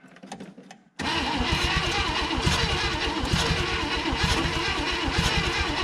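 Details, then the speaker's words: 1960 Chevrolet Impala, unregistered since 1984 and sitting 38 years: starter cranks unevenly, about three pulses a second, uneven compression between cylinders; no start because the choke is closed. "come on baby all right choke ain't open let's try this joke off"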